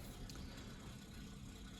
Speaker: the pump motor going around down below with no water in it